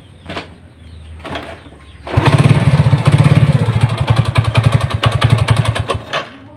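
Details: Honda Supra motorcycle with mixed BMC/Honda engine halves: rough, uneven knock on idle at about three to four a second, heard at idle, sometimes gone with throttle open; loose clutch-side nut knocking.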